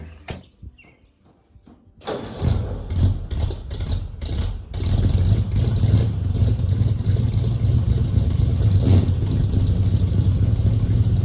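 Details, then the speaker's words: 1940 Ford Tudor with newly fitted eBay-kit tailpipes: quick crank, catches and settles into steady, even low burble, no blowing or ticking; a huge improvement, quieter, no more exhaust fumes. Normal start and run. "guys I felt like that was a huge Improvement I'm just going to keep driving it and see what I think of it but it's quieter no more exhaust fumes that's great"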